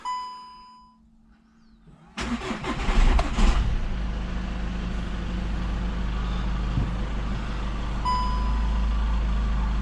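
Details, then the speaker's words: 2016 Skoda Octavia vRS, start after body-shop rebuild: cranks, catches, then a steady idle with a faint turbo whistle. The check-engine light stays on with a turbocharger boost-control code, and power was lacking on the first drive. "whoa guys i can hear the turbo this time around so the check engine light is still on there"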